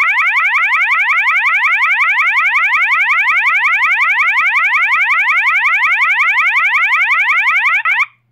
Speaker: okay and this tone is going to be the fast warble and the warble tone sounds like the sounds like a burglar burglar alarm